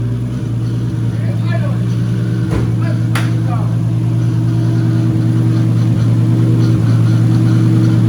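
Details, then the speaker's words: 240 with newly installed stock 1GZ engine, restarted after an initial misfire cleared (owner thinks old fuel flushed out): steady even low idle hum with smooth regular beat, no stumble or ticking; sounds healthy. "I didn't get it on film, unfortunately, but I'll start it up again. You guys can hear the new stock 1GZ."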